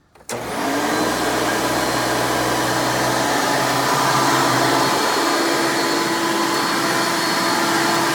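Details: 1996 Hoover Legacy Dirt Finder U5103-930 upright vacuum, a direct-air design with the motor fan in the airflow: a loud, steady high-pitched scream that holds constant after switch-on, with no wobble or grinding; the motor runs healthy.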